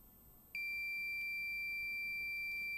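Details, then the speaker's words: Minelab Pro-Find pinpointer left switched on and unused sounds its lost-device alert after about three minutes: a sharp, high-pitched steady beep, emitted even when set to vibration mode. "if you happen to lose your pin pointer and assuming it's still switched on the device will sound an alert after about three minutes"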